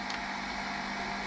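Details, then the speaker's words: 1987 Sinclair ZX Spectrum 128k +2 on AA batteries, supply being lowered (normally 9 V) while playing a game: steady harsh buzz over low hum, no clean tune; video signal fading, sound breaking down from undervoltage. "so we're losing we're losing the signal but it's still working it's still working you can see him down here at the bottom here and i can still hear it"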